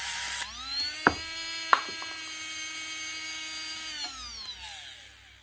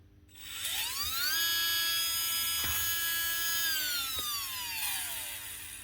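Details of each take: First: Makita DBO480 cordless sander (2024) that stopped working after a drop, run on a bench power supply: steady whine with sharp clicks, then an uneven wind-down and weak starting. The brushes are bent off square on the commutator. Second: Makita DBO480 cordless sander (2024), after brushes bent in the drop were straightened to sit square and contact the commutator again: clean, steady high whine that holds speed and winds down smoothly, running much better.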